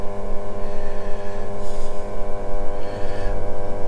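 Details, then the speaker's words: Red Sea Max Nano reef aquarium return pump on day two of fishless cycling: loud, deep, fast-pulsing hum with rough rattle, unusually noisy; owner hopes it will quieten down, cause unknown. "sorry about the noise on the previous video my return pump is still making quite a bit of noise on day two but i'm hoping it will quieten down"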